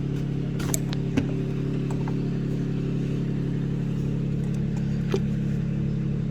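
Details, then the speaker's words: 2012 Holden Commodore VE V6, P0300: low idle with a slight uneven stumble; oil burning in a cylinder, oil around the plug, causing the misfire. All six plugs black, so possibly a worn engine or oil past piston rings. "මේ cylinder එකේ oil burn වෙනවා plug එක වටේම oil මේ cylinder එක ගිහිල්ලා ඒකයි මේකේ engine එක මිස්ෆයර් කරන්නේ"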